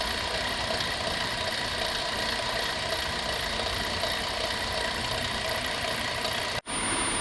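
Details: 2004 Chrysler Town and Country 3.3 idling with a fast, dense metallic rattle and ticking over a steady hiss; stethoscope points to alternator; alternator, idler and tensioner pulleys replaced.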